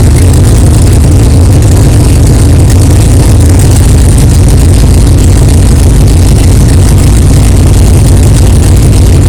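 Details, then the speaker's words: 1964 Chevelle 383 stroker V8 at first fire-up after an 8-month build, not yet warmed up, 11° timing, 63 lb oil pressure: steady, deep, even idle, no knocking, ticking or clanging; good oil pressure, healthy normal idle. "wow thank God it runs it runs good sounds good no problems no clanging and banging no rods fell out of the oil pan that's good good oil pressure"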